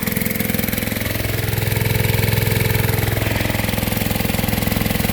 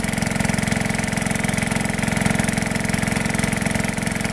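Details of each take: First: Gold dredge pump small engine after cleaning carburetor jets, run on nine-month-old gas from last year: pulses near 210 per minute with slightly lumpy, uneven beat, running rough; new fuel made a big difference. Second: Small single-cylinder petrol engine on a gold dredge pump after jet cleaning: slow, even idle firing about four times a second with steady exhaust beat, throttle at lowest setting; normal idle, lower than before.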